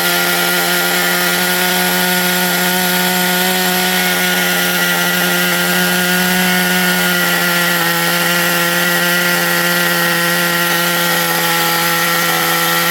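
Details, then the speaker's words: XTM Baja Outlaw vintage RC truck, small nitro engine: high buzzing scream at steady revs with raspy uneven edge and something sounding like burning; running rough, badly needs tuning, has light pinch. "Yeah, it needs tuning big time. It really does need tuning like a lot, but it runs."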